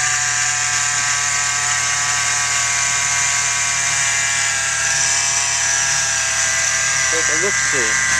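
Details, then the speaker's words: 2013 Jeep Wrangler JK 3.6L Pentastar running under the hood: steady high-pitched whine that never lets up, first misblamed on the alternator; idler pulley bearing whine. "as you can tell I've got a nasty wine happening under the hood of my 2013 big head and we're gonna identify what that is"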